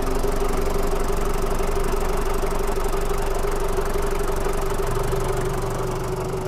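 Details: 1997 Daihatsu Taft Rocky, recorded at the engine bay: a steady, even diesel clatter at idle, about four beats a second, with no misses or knocks; the engine is sound with no smoke.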